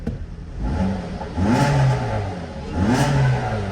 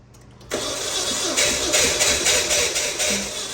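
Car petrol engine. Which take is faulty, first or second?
second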